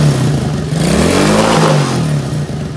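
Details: Small Chinese kids ATV single-cylinder after carburetor cleaning, on jumper battery: revs up then settles into smooth steady warm-up run, no misfire or clatter — normal warm-up running.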